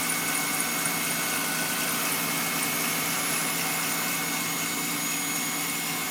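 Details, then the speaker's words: Engine at warm-up idle, heard with hood closed: steady high thin whistle over an even fast warm-up idle, disappearing once warm-up revs drop; cause not identified. "Через закрытый вот слышно прям вот этот свист. Все, пропал. Прогревочные обороты упали, свист пропал."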